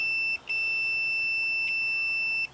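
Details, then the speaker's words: Multimeter continuity test on a twisted jumper wire in a free Toro ride-on mower's starting circuit: steady high beep, briefly broken once, held until probes lift; jumper shorts properly, good continuity. "just check that it is in fact shorting about properly and it is"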